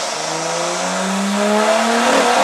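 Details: Nissan R33 revving: rough uneven note as it climbs; misfire from incorrect NGK PFRG5-11 platinum plugs recommended by the parts supplier, solved by fitting NGK Iridium IX BKR6EIX-11.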